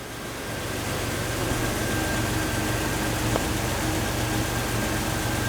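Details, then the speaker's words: 2000 Jeep Wrangler TJ, first run after engine reassembly (dropped nut): steady even idle, no tapping or knocking; some oil burning off the intake manifold. "I don't hear any like crazy noises in the in the engine. A little bit of oil burning off of it."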